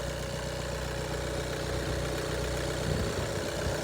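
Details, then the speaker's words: Warm idle of a 12/2014 VW Golf 1.6 TDI diesel (81 kW), possibly a 2015-use car: steady, even beat and smooth low rumble, no knocks or misses; engine dry, runs flawlessly — normal idle. "це нормальна ситуація для 1.6 мотора Мотор працює бездоганно помовчу"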